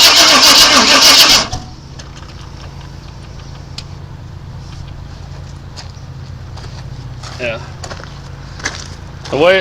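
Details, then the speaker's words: 1997 Chevrolet Suburban that sat broken for years, with fuel confirmed at the rail: loud starter cranking about a second and a half, then a faint uneven spitting sputter that won't catch; owner suspects ignition timing is off. Crank, no start. "spitting and sputter and it tells me it's trying to fire at the wrong time"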